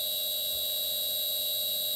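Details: New replacement shaper motor run on an inverter after the old motor failed: steady high-pitched inverter whine with several fixed tones over a quiet, smooth motor run; normal running.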